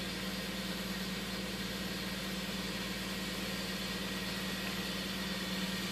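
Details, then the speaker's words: 1999 Toyota Sienna V6 idling with faint uneven stumble; codes P0301 and P0304, misfire counters show cylinder 4 misfiring constantly, worse under load with AC on. "there you go constant misfire when we put a load to it starts to misfire even worse"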